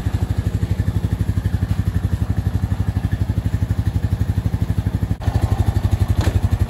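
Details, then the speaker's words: Honda 420 ATV after transmission failure repair, first start, idling for oil pressure: steady, even thump about four beats a second, no knocks or clatter, much quieter than before; normal idle. "let everything gets oil pressure through US yeah it sounds perfect it's a lot less noisy than it was sounds good"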